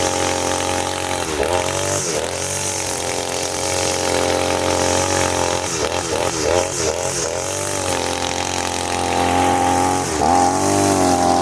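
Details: Side-mounted two-stroke brush cutter, factory carburetor mixture screw too loose, as on new engines: high buzz that sags and wavers each time it's revved; rich mixture, fuel-hungry and weak under load.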